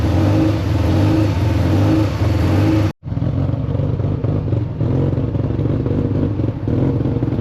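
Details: Freshly rebuilt Mazda RX7 FC 13B NA rotary, idle adjusted via TPS, timing only set at baseline TDC: fast, uneven hunting idle with a brief cut; idle high and jumpy, owner suspects timing; oil pressure and temps good.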